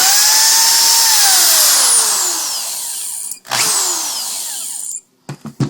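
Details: Corded power drill with a shrill squeal over the motor whir, gliding down in pitch as it slows; caused by dirty brushes contaminated with dust and metal shavings, fixed by sanding and cleaning the brushes.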